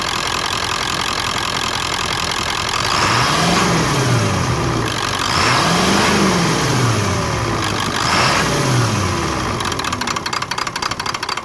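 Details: 1996 Ford F250 7.3 diesel: revs up and falls back several times, then settles into an uneven, stumbling rough idle on deceleration.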